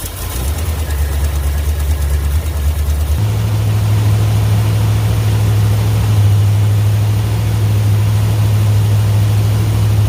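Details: 1963 Ford F100 Y-block V8 with newly installed Holley 2300 carburetor, Patriot headers and Cherry Bomb mufflers, radiator not yet fitted: deep, lumpy idle stepping cleanly up to a higher steady speed, even and miss-free; normal running.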